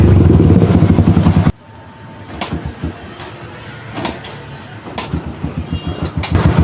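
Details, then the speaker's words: Yamaha XTZ125 with new wire harness and CDI and original regulator: revs hard then drops into uneven stumbling pops about once a second, refusing high rpm; misfire traced to CDI losing a steady 12-volt supply. "xt 125 Kapapalit lang ng bagong harness pero Ganito pa rin ang kanyang andar bago naman yung kanyang cdi at sa kanyang regulator original lahat pero Ganito pa rin Ano kaya ang sira nito"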